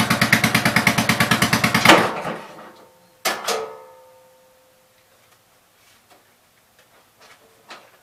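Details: 1987 Gravely Pro 8 mower being run: quick, even chugging for about two seconds, then the engine dies and a few clunks follow; stalling, cause unknown.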